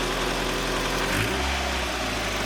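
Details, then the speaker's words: Project car that sat 10 years, everything swapped out, just after cold start: loud but not obnoxious, firm throaty idle with a light blip settling straight back, even firing; engine running great, normal idle. "What's nice about this car is that although it's loud, it's not like super loud. It's not like obnoxiously loud. It's like in that sweet spot. And it still sounds good, so. Engine's running great."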